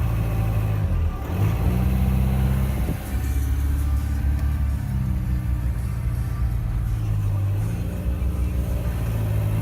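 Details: Audi A4 2.0 TDI common-rail CAGA diesel: rough surging idle with a deep, uneven shake, first suspected injectors or DMF; the cause was the fuel pressure regulator valve at the common rail's end, replaced (part 057130764H).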